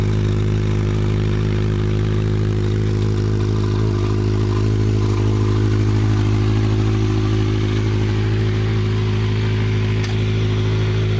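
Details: Honda CB700 Nighthawk S project bike starting on its own newly charged battery, running about a minute before fuel ran out: steady, even low rumble at idle with no misses, knocks or hunting; normal idle.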